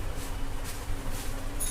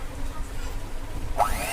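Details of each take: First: Electric egg beater after repair: it used to cut out intermittently and spark, the loose connection was tightened and the unit reassembled; short, steady low motor hum with no cutting out or crackle, now running normally. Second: Electric egg beater before repair, plugged in with the switch on; small motor drones then suddenly whirs up in pitch, running unevenly as it keeps stopping and starting by itself, an intermittent motor cut-out.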